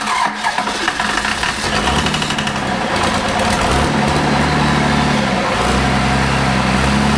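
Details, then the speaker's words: Cummins diesel junkyard engine, long sitting with injectors stuck, first start on starting fluid: catches and runs uneven, lumpy with surging revs, then settles; running on all six, smoke cleared up; oil leak noted. "sounded pretty good it was running on all six yeah fired smoke cleaned up after about a nanc what the starting fluid not fuel been sitting so long the injectors were all stuck on it"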